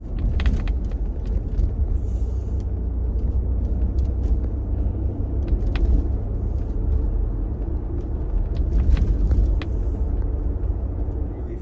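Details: Ford Bronco with MIC hard top, driving: irregular sharp clicks and pops over steady cabin road rumble from a loose roof latch pin knocking in its hole; fixed with a $4.99 part.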